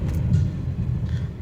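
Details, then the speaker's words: Renault Duster after major engine service, suspension work and alignment, road test over speed breakers: only low even road rumble, no clunks or knocks, suspension quiet. "और अब हम इसे सामने वाले breaker से उतारेंगे तो इसका इंपैक्ट देखेंगे किसी प्रकार की कोई आवाज तो नहीं है कोई आवाज नहीं है"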